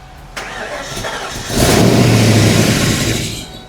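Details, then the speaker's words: Abandoned Ford 5.0 V8 Mustang revived from the weeds: short crank, then the engine fires and runs rough under a scraping belt drag; seized accessory pulleys not turning, belt slipping and streaking. "That streaking's where them pulleys ain't turning. They're froze up."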